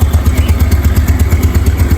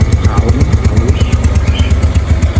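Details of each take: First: Aging Yamaha Nouvo Sporty automatic scooter, not yet roadworthy, idling after starting: soft, regular low putter with even pulses, no odd noises, clatter or rattle; engine still smooth and healthy. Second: Aging Yamaha Nouvo Sporty automatic scooter, not yet roadworthy: a quick, uneven putter fades and dies away leaving a faint low rumble; engine stalls, owner says it needs servicing again.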